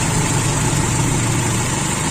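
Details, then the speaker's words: Toyota Kijang Super 5K running the original Aisan carburetor with FMT jets, with a steady, smooth low idle and no stumbling. Owner unsure whether it settled because fuel was running low or the idle was previously set too high. Normal idle. "nah ini sepertinya langsam sekarang enak apa karena mau habis atau sebelumnya terlalu tinggi apa"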